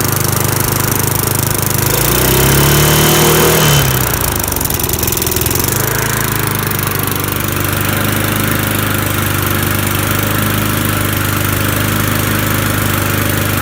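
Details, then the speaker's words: Free lawn mower after carburetor cleaning, running warm and strong: revs sag then a sharp pop coming off throttle; backfire on deceleration, owner suspects too rich mixture, unconfirmed. "it does backfire which tells me it's either one lean or too rich and since it's on deceleration I'm gonna say it's rich"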